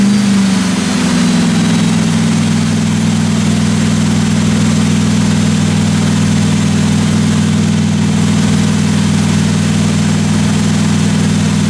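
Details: 1957 Chevy 210 running during the roughly 20-minute cam break-in after first start: a steady deep drone with a smooth low beat and no ticking from the valve train; normal running.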